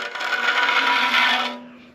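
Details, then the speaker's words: Ridge reamer in a junk engine's cylinder: a harsh scraping rasp builds for about a second and a half then fades as the cutter bites into the ridge at the top of the bore, leaving a gray line at the ridge bottom. "so I know we're cutting into the ridge right now and basically we're going to just keep going until the tool raises all the way"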